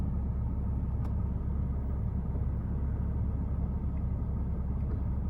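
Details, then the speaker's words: Porsche 987, engine warm, after replacing the air mass sensor that caused a rough warm idle; the air-oil separator was also failing. It now idles with a steady, even low rumble and no stumbles, check engine light still on. "so there you go it's idling just fine i don't mind the check engine light that's another issue for another day"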